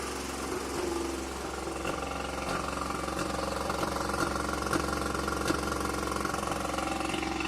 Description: This is a pretty universal sound of a vacuum leak on a rotory engine. The severity of the leak in the video was very minor, it would create a sound of misfiring at idle, also the car would die once it reached operating temperature.